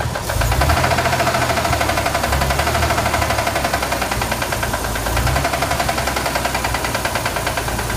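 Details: Corvair engine with a steady, rapid internal knock keeping time with engine speed; owner asks whether it is rod noise, source not confirmed.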